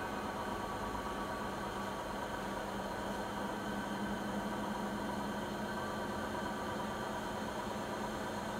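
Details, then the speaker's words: Siemens iQ300 front-load washing machine (title WG41A1X1TR, 9 kg, 1000 rpm), spin-only program of about 13 minutes, spin speed peaking mid-cycle; rated 72 dB on spin. Steady low hum with a faint even drum tone, no knocking or grinding; normal spin cycle. "Sıkma işleminin ortalarına doğru sıkma devri en yüksek seviyeye çıkıyor."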